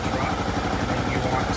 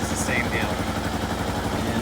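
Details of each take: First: Kawasaki KLR650 single-cylinder after MegaCity Performance carb correction kit install: steady thumping idle with even pulses, rising as the mixture screw is backed out from the idle-drop point toward peak rpm, then an eighth turn more. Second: Kawasaki KLR650 single-cylinder after MegaCity Performance carburetor correction kit and mixture screw set to peak idle plus an eighth turn: steady, even thumping idle with no popping or hunting; previous heavy backfiring appears eliminated.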